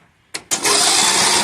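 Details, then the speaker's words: Briggs & Stratton 17.5 HP mower with a new battery, spark plug removed, cranked before valve adjustment; the owner suspects the valves. The starter spins the engine fast and evenly with a light whir and no binding: normal free cranking. "as you can see it turns over how it should"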